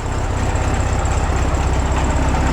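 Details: 1967 VW Bug air-cooled flat-four after oil-leak repair with engine gasket set and belt re-tensioned: steady, even low chuffing at idle with no knocks or ticks, smooth and quiet; normal idle.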